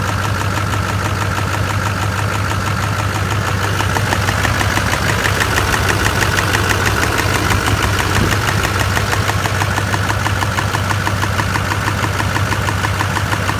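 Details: LB7 Duramax diesel after new heads, injectors, injector sleeves, Bosch CP3 and head gaskets, previously losing coolant from bad injector cups: steady idle with a hard, regular knock about once a second over the clatter; diesel knock, cause unclear.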